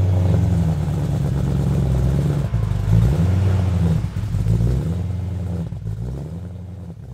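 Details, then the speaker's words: BMW E90 M3, stock S65 V8, cold start: loud raised idle with engine speed hunting up and down for about one minute; ECU/DME-managed cold start warm-up program, normal. "I'm Carl, and this is the cold start of BMW E90 M3. The cold start process is autonomous and fully managed by the engine control unit, as known as the ECU or DME. It will take about one minute to complete."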